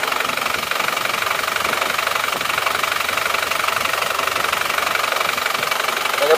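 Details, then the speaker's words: Isuzu Panther pickup diesel before repair, cold at 47°C, losing oil: harsh rapid knocking clatter about three beats a second at idle, smoke from dipstick and oil filler; blow-by from worn piston rings, possibly liners, with a stuck ring. "tapi kalau mesin masih belum panas tapi k sudah banyak asapnya ya berarti itu emang aus ringsernya bisa juga linernya ini sudah mulai"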